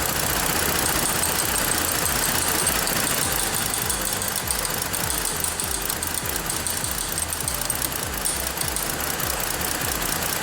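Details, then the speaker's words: 2014 Ford Explorer 3.5L, bank 2 cam/crank correlation (P0019) and misfire codes, IDS reading 50: uneven idle with a lumpy pulse of about 220 a minute that stays rough throughout; cam phaser suspected stuck. "See if it's stuck, maybe it'll free up and then start running good."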